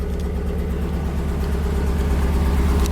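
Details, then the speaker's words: Nissan 240SX S13 straight-piped, after correcting timing that was 180 degrees off, fine timing still pending; loud deep even exhaust rumble, no misses or knocks; normal running. "sounds really good um i mean it doesn't sound good because it's straight piped and i don't like it really but it sounds healthy is what i meant"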